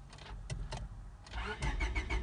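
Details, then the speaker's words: 1999 Honda Civic: starter churns evenly about five beats a second but engine never catches, fuel pump heard working; crank-no-start, main relay suspected of cutting power, to be replaced. "tenemos un problema ahorita con el arranque estamos viendo que el carro está área pero no no prende"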